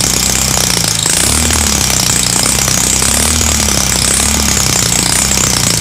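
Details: Honda CB Shine idling with a loud, fast dry metallic clatter; oil not reaching the rockers through the head oil hole, top-end rattle from oil starvation that risks rocker damage.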